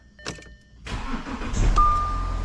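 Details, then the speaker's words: Audi Q7 after a new battery replaced one that failed to start the car even with a jump: quiet, then a brief crank and the engine fires at once into a steady idle; clean, healthy start. "so right there as you can hear the engine started so all is well"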